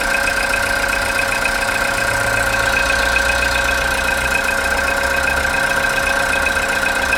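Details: Engine knock after cold start following overnight parking: fast, uneven tapping over idle, quieter when revved, disappearing after 10 minutes warm-up or 2-3 minutes of driving; engine knock on cold start.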